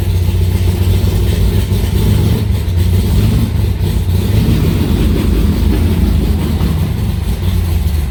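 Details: Aluminium-bodied Cobra V8 idling in a garage after first start in two months: deep, steady burble with an even, lumpy rhythm and no knocks or ticks; healthy idle.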